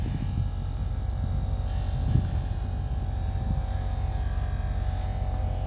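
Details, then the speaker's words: Truck with the engine off and the ignition key on, the battery energizing the electric fuel lift pump while a fuel pressure tester is connected. Loud, steady low drone with a faint constant tone. Lift pump priming and running normally. "all right you can hear it it sounds so loud it's energized by the battery and everything damn you can hear it it's spinning like here"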